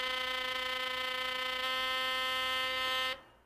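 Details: Philips Sonicare electric toothbrush running normally: clean, steady, even-pitched buzz for about three seconds, then cuts off. A healthy brush motor, unlike worn units whose loosened shaft gets loud and vibrates. Normal toothbrush hum.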